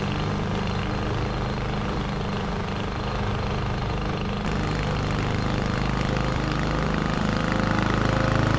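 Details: 21-inch Husky push mower (11A-B2M7031), Powermore OHV engine, fresh oil, started first pull: steady, even drone under mulching load, no misses, knocks or surging; runs healthy.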